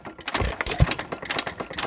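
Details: Frost King Jr 23959 1¾ hp engine, second run after detent adjustment and new springs: a light, quick clattering tick as the governor latch keeps jumping off; suspected worn rocker, over-tight detent or worn pins, not confirmed.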